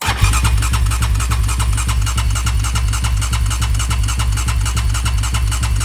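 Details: Rebuilt Raptor 700 ATV engine, 740cc Trail Monster new build, cranked with fuel disabled to prime the oil system. Even rhythmic cranking at about 3.5 beats a second that never fires; still no oil flow afterwards; cranks, no start.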